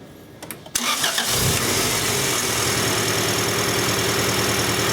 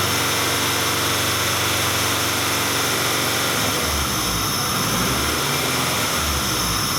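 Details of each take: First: 1994 Acura Integra 1.8 L DOHC, restarted after adjusting the cold fast idle valve to cure a warm idle surge. Brief crank, catches, then settles into a steady, even idle with no surging; sounds a lot better: normal idle. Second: 1994 Acura Integra, 1.8 L DOHC engine, warm idle: speed hunts up and down every couple of seconds, typical Honda-Acura idle surge; fixed by adjusting the cold fast idle valve.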